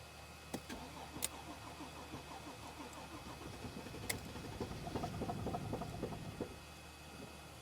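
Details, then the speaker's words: 2014 Mercedes GL350 3.0L diesel, about a quarter tank of fuel: quiet, uneven cranking that catches briefly, stumbles a few seconds and dies; crank no-start, sometimes runs two to three minutes then stalls. "This engine doesn't sound good. So, it cranks and then it starts just for a few seconds and then it dies."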